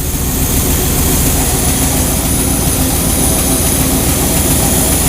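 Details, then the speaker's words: 1969 Chevy truck V8 with Quadrajet carburetor at idle while mixture screws are adjusted a quarter turn at a time against a vacuum gauge: deep chugging with slightly uneven, stuttering beats, a lean stumble from the screw turned too far; backed out again. "and that actually the motor sounded a little bit more stuttery so we're going to back it back up"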